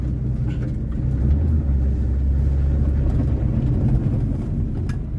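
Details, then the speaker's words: 1978 Honda Civic with no power steering, warmed up, under way: a deep, steady engine rumble, even and unbroken, with no knocks or misses. The engine sounds really good and pulls cleanly while driving. "yeah, it just, oh god, it just sounds really good. So there we go."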